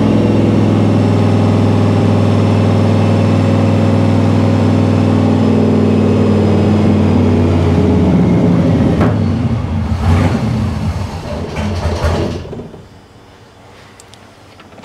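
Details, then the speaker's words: 1955 Chevy Nomad small-block with dual Holley Sniper EFI at about 170 degrees. The idle drones steadily, then sags and wavers over several seconds and dies; the handheld showed "No data", and the owner suspects a ground issue, unconfirmed. "it said No data then died makes me think it's maybe a ground issue"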